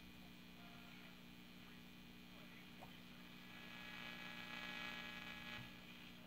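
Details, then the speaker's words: 1939 Air King 3952 tube radio, volume full after filter capacitor replacement, tuned to a station: low mains hum with hiss that swells. Reception is louder than before; the 75 tube gets louder when approached, and the owner suspects it needs a tube or two. "See, I can get a channel. It's much louder than it was, and you can hear people talking."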